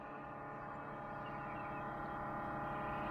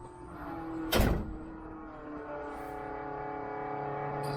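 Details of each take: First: Jeep CJ-7 converted back to electric fuel pump, Holley Red, with rubber isolator, pressure gauge fitted, return line pinched: steady droning hum with fast even pulse about four a second; pump too noisy, may need rubber mounting, pressure only 1 PSI. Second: Jeep CJ-7 converted back to electric Holley Red fuel pump, gauge fitted; after a thump a low electric hum rises and steadies as pressure builds, gauge needle moving slightly; normal fuel pump priming.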